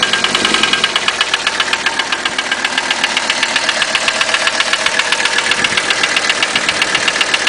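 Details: 1985 Mercedes 300TD diesel at idle: a steady, sharp metallic knock at about two and a half per second; it sounds like piston slap, but the owner doubts that is the cause.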